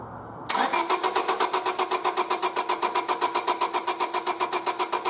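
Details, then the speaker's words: 1999 Honda Civic single-overhead-cam VTEC, crank no-start: starter churns steadily about four pulses a second with no firing; distributor signal and coil power and ground good, external coil fires, so the car's ignition coil failed. "so I've got a good signal from the distributor because it fires this coil just fine so there's something wrong with the coil that's in the car"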